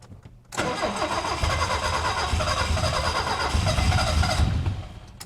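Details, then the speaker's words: 1972 BMW 2002 with start and run issue, carburetted: long cranking without pumping gas, finally catching into rough uneven run; suspected flooding, full throttle tried to clear it; hard start. "let me uh twist the key and see if uh see if she'll light off and if you it does light off see if it runs smooth because sounds like she's getting into a flooding condition"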